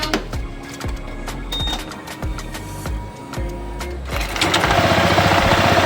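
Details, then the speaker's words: Honda PCX 160 scooter with CVT cover off, helicopter-like noise: steady chattering beat near four per second over idle, swelling with revs; worn variator slider pieces, to be replaced as fix. "Maririnig niyo yan. Maririnig niyo yan. Tunog helicopter."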